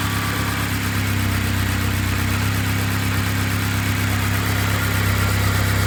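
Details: Honda K24-swapped BMW E36 after head gasket repair with freshly redone head, turbocharged, initially too rich then leaning out; even, smooth idle and light throttle with no knocks or misses, sounding good, no leaks found.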